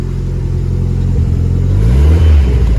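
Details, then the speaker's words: Barn-find Ford Escort RS Turbo Series 2, first start after sitting, warming up: clean, even revs climbing and falling smoothly with no misses, knocks or rattles; engine sounds healthy. "i love that sound i better open that door guys can you believe that that actually sounds really really good"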